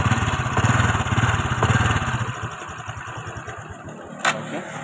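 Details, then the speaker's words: Honda XRM 125 FI motorcycle at startup: fast metallic clatter over an uneven firing beat that sounds like a damaged connecting rod; worn roller guides and timing chain suspected, guides to be replaced. "Yung tunog niya is may tunog na kalansing, no? Para siyang ano, bakal o nasira ang kanyang connecting rod."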